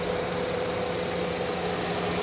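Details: 2012 Honda Civic Coupe at auction on the hottest day of the year, front-end damage; engine wobbles a little in its mounts, possibly higher mileage, yet the steady, even petrol idle hums smoothly with no knocks or misses, cooling down fine.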